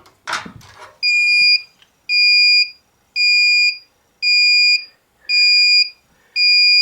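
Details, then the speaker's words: ProCom Magnum 110VT turbo heater (diesel/kerosene), bought not working and repaired: plugged in, six even high beeps about once a second, normal startup countdown before ignition. "so you plug it up like this you're going to hear a countdown"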